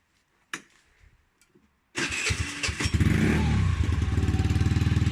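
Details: Peugeot Kisbee four-stroke scooter after fitting an aftermarket GY6-style performance exhaust: starter whirr, then an even, warmed-up idle with a crisp, slightly loud exhaust; sounds healthy.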